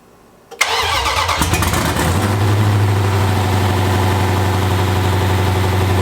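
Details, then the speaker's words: Rebuilt forged, cammed Jeep SRT 392 Hemi V8 first start after install: brief crank, then catches and settles into a deep, lumpy cammed idle at about four beats a second; oil level dropped on the dipstick, so oil pumped. Normal start and idle. "Yeah. Did it start? Yeah. Satisfied with how that sounded too. Nice."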